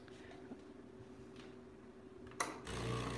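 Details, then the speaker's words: Breville Barista Express espresso machine, earlier making a noise at startup: a click, then a steady low pump hum with no rattle or odd noise; pump working fine. "You know what? It's working fine."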